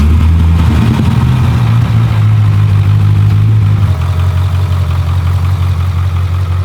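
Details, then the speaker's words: Wrecked Corvette Z06 V8 being rebuilt, idling warm after a short drive: deep, uneven, lumpy idle with a slight drop. Check-engine light on, oil pressure 10 psi at idle; cause not yet determined. "Hear how like rough it's idling."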